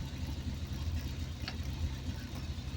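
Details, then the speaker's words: 1970s Triumph Spitfire started after sitting a couple of days, small four-cylinder at a steady, even, low idle with no knocks or misses; a healthy, good-running old car. "She's a runner. Yeah. Good running old car."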